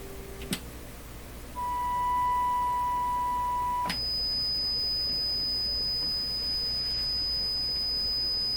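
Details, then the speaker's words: Nordmende Caruso console radio after FM alignment, fed a 1 kHz test tone from a signal generator: steady, pure tone for about two seconds with no buzz or rasp; no audible distortion. "well i can't see i could hear anything that i would qualify as distortion listening to a single tone like that"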